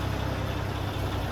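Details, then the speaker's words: Peterbilt cabover diesel idling while warming up just after repriming and fixing swapped feed and return fuel lines that had caused very low fuel pressure: a steady, even low rumble with no misses, knocks or stumbles, normal idle. "Dang, that thing ain't sounded that good ever. Leave it running, let it warm up. Yep. It sounds good, guys. Finally."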